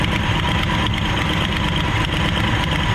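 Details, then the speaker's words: Abandoned 1968 Ford XL running lumpy and rough at idle, worse when revved. The carburettor is considered dead with poor fuel delivery, the idle mixture is unadjusted, and the idle-speed screw is broken off. "Get real rough when I try to up."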